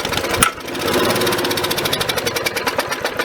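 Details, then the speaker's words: Victa 375 two-stroke lawnmower, long stored in a shed, after one sharp pop catches and runs at a fast, fairly even crackle, a bit smoky; it only runs while primed with starting fluid. "Okay. So it's only running on the stuff that I'm giving it there."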